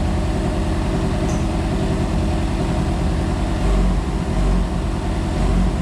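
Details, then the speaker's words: Flood-damaged Yamaha FZ6 Fazer running again after the intakes were cleaned and an engine oil flush: it idles evenly, then revs cleanly on three short throttle blips and settles back. It was slightly smoky, later traced to water in the fuel. "so it's working like a bike again it sounds like a bike again it's not pumping water again it's acting just like a bike"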